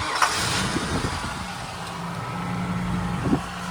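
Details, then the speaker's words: 1995 Ford F-150 5.8L Windsor V8, automatic, 4WD: engine catches and settles into a steady raised idle that never drops; high idle, though owner says disconnecting the idle air control valve gives low idle yet it still clunks into reverse and drive. "I mean, I understand that it's at high idle, but if I disconnect the idle air control valve, it'll low idle and it'll do the same thing."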